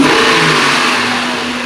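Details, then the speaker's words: Engine after replacing burned-out ignition coils and new spark plugs for a dealer cylinder random misfire code; a quick throttle blip rises and falls smoothly with no stumble; normal revving, misfire gone. "now as you can see we got the cars running now I might hit the throttle and you're gonna hear how good it sounds"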